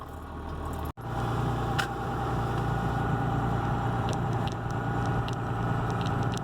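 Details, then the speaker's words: Dodge Ram Cummins diesel farm truck with the stock turbo silencer ring still fitted, windows up, light cruising pulls: an even low diesel drone with hardly any turbo whistle on top; the turbo is running quiet and healthy. "Windows are up, and we'll do a couple of quick little pulls so you can hear, or not hear, what the turbo sounds like, because it is really quiet right now."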